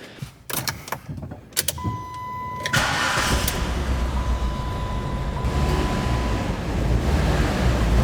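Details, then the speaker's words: Car whose spark plugs 2 and 4 were completely black: after the crank catches it settles into a lumpy, uneven, stumbling idle, a cylinder misfire; the spark plugs were not the cause, and the owner suspects the ignition coil, then the injectors. "turns out it's not the spark plugs but next up I'm thinking it's got to be the ignition coil"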